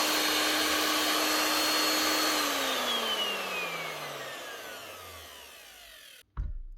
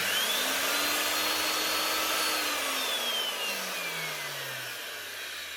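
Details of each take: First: DeWalt DW625E type 5 half-inch router after replacing its two bearings (6201 and 6005): clean steady high motor whine, then a smooth falling coast-down after switch-off with no rumble or grind. Runs smoothly again after the repair. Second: Old DeWalt DW625E type 5 half-inch router, heavily used: motor whines with harsh scraping hiss, then sags and nearly stalls on first start; worn bearings suspected, to be replaced.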